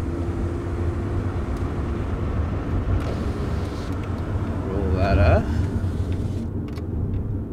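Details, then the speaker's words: 2009 Chevrolet Cobalt after replacing both wheel bearing hub assemblies, test drive at about 30 km/h: only ordinary tyre and road rumble, no growl or hum rising with speed; quiet wheel bearings. "that's incredible like this is what it's actually like to have a quiet car"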